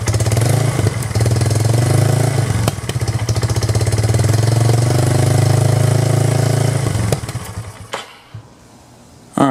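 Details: 1999 Yamaha Bear Tracker single-cylinder ATV on hot day, after new in-spec pickup coil restored spark, petcock replaced: lumpy uneven idle about four beats a second, stumbles and dies.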